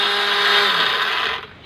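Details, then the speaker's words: Honda Dio scooter electric self-start: harsh high whirring grind while the starter spins, then dying away; this sound indicates a worn starter drive (bendix) that needs replacing. "இந்தமாரி sound வந்தால் இதுக்கு பெட்டாக்ஸில்னு ஒன்று இருக்குது."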